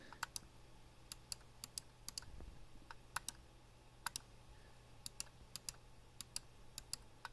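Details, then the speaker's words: Glorious Model D mouse, about three months old: sharp single clicks, some looser and crunchier when pressing a certain spot on left button, not every click; loose crunchy left click. "and so this is a normal click here and then this is the like crunch click that I'm getting you can hear that it's kind of loose in there and it's not every click but you can definitely feel it in-game when you're playing"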